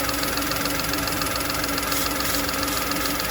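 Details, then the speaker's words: VW Polo, codes P0068, check engine light on but running fine, idling: steady airy hiss over even idle; air leak through plastic breather pipe worn through by vibrating wiring loom, repair planned. "so yeah we're just going above 10 there so I think it's just enough of a leak air leak to cause a check engine light or cause an issue"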